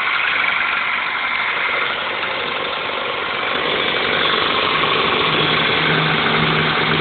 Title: '00 5s-fe cold start rattling noise then OK after warm up